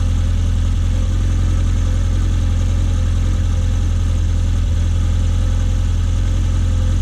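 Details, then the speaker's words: Classic Mini fuel-injected (MPI/SPI) running after fuel filter replacement, checked for leaks: steady, even low idle with smooth deep drone, no misses, knocks or hunting; normal idle. "We can see it's nice and dry, there's no drips there, so just start it up, run it for a bit and check for leaks."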